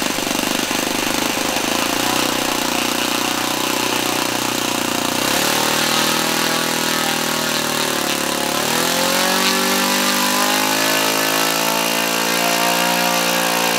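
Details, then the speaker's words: Laser 100 single-cylinder RC model engine on its first run in 15 years: buzzing note whose pitch sags and wanders, with metallic clanking and knocking underneath; the front housing worked loose, causing the knocking and loss of rpm. "I could turn it over the wall steel compression but definitely had a very metallic clanking and knocking sound where it didn't before"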